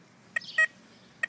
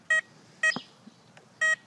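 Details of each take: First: Tesoro Conquistador metal detector swept over a ring: short, broken, choppy chirps instead of one solid beep because the discrimination knob is set too high; backing it down to about four restores the signal. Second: Tesoro Conquistador metal detector: pairs of identical short beeps at the same pitch for every target, since the machine has no separate tones for different metals. Normal single-tone response.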